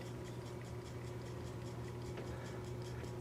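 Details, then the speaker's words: 1974 Seth Thomas C-cell battery pre-quartz clock movement, non-second-hand, after disassembly, cleaning and lubrication, running on the bench: quick, even ticking at a steady rate over a low room hum. Healthy, normal running. "but it's off and running hear the ticking"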